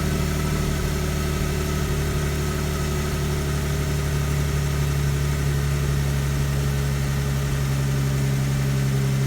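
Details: Infiniti G37S with rough start and rough idle despite new OEM spark plugs, coils and MAF, tops out at 4,500 rpm; owner suspects an intake manifold gasket vacuum leak: deep hum with uneven lumpy pulse about four per second: rough idle.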